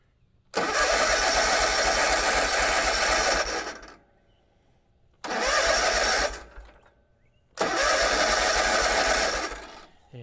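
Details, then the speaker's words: Kubota Z122R Kommander mower after a new fuel filter: three cranking bursts with an even churn but no catch, a no-start; fuel pump not pumping and the new filter is bone dry. "fuel pump is not pumping at all i can actually see the fuel filter you can see it right there and it is dry as a bone"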